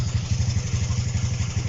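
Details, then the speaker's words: Honda CB125 RS carbureted single, started without choke with what is thought to be a 105 main jet: beats bunch and sag unevenly at idle as it starves for fuel and stumbles; owner plans to change jet size. "there you go look straight away runs no problem can you hear it starving to self a fuel a little bit there"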